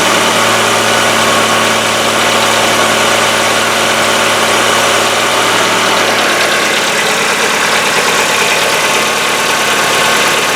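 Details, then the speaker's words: Hyundai Getz engine, fully cold after a day in the garage, old oil: fast light hydraulic lifter ticking over the idle, lasting about a minute, longer in winter, then stopping before full warm-up. "Вот он наш стук. Зимой, конечно, он по времени подольше стучит, пока прогревается. В холодном автомобиле, в холодном моторе звук присутствует."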